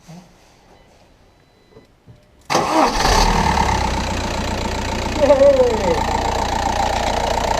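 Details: Skoda Superb 3U / VW Passat B5 1.9 TDI diesel, first start after fuel filter replacement and priming with ignition cycles: catches almost instantly into steady even idle without stumbling; normal start.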